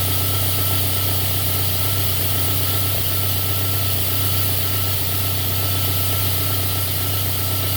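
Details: Third-generation JDM Celica, 3S-GTE turbo, lean misfire at idle that takes a minute or two to develop: steady idle with a stumble about two to three beats a second. O2 voltage jumps to 2-3 V and AFR swings from 14.7 to 16-18 with each misfire.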